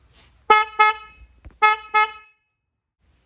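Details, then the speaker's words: 2023 Honda CR-V horn after the upgrade to an aftermarket Wolo low-tone horn: four short honks in two pairs, a full, steady low tone that starts and stops cleanly; the horn works normally. "Today we're going to upgrade the horn on our 2023 CR-V to go from the stock horn that sounds like this to a new horn that sounds like this."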